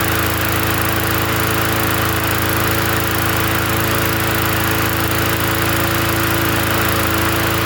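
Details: Free 20-inch Bolens gasoline push mower from the dump, first run after adding gas: a steady, even engine drone with no surging, misses or hunting; running clean and smooth.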